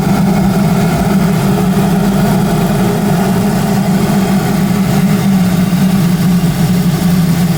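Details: Audi A4 B7 with BWT engine (swapped a couple years ago) and GIAC K04 turbo: on cold start, a loud, steady low drone over the idle rumble for about 60 seconds, then it goes away; the old engine never did this.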